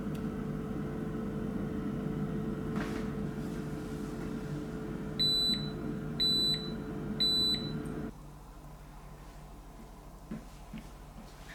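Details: Salter EK5872 (LIDL EK5872LDL) dual-compartment air fryer, after repair of a suspected thermal fuse failure that stopped one side heating: even fan hum, then three beeps about a second apart and motor winds down; normal operation.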